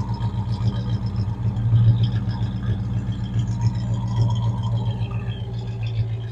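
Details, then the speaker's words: 1967 Dodge Coronet 440, 318 V8 with Holley Sniper fuel injection, automatic, stainless dual exhaust, heard at the rear exhaust: deep, even idle rumble with steady lope, no ticks or blowing leaks; a healthy, normal exhaust note. "And let's circle back here so you can hear the exhaust note on her. Does have dual exhaust."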